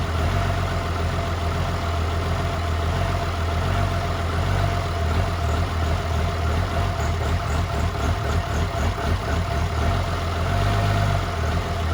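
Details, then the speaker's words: 2007 truck with a 6.7 diesel swap, first fire: deep, steady idle that is smooth, with a slight chop from the 14 mm cam. It has only a downpipe and no converter, and battery voltage is low at about 10.5 V. "It fired right up. You guys heard it. Idled pretty smooth."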